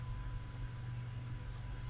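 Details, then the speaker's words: Old external USB hard drive, non-spinning after a power surge. Steady low hum and faint even whine, no clicks or scraping; the PC boots and finds the drive. Normal hard drive spin. "well it's working like it's going to boot up it's found both drives yep so far so good"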